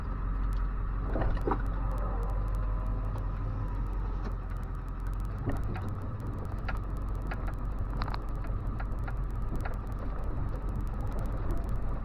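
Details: 2000 Ford F250 7.3 Powerstroke diesel, just after failed turbo replaced and intake heater fixed: even steady idle with low smooth rumble, no whistle or bearing rattle from the turbo; normal idle.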